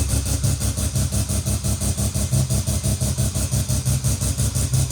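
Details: Naturally aspirated rotary (Wankel) engine in a small car: steady lumpy brap at about three pulses a second, even and clean with no misses or knocks, a normal healthy rotary idle.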